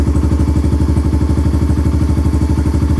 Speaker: Sure sounds good. I'm gonna let it warm up for a second because it's been sitting for a couple days. Man, that's got a nice, deep, mellow tone.